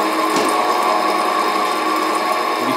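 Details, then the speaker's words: Hengli HSA1505 belt furnace cooling section: blowers ramping up, belt motor turned down so fans are audible; steady even whir with fixed mid-pitched hum, no knocks or rubbing; cooling fans running normally. "can hear the blowers ramping up, the fans. Turn the motor down a little bit so you can hear the fans."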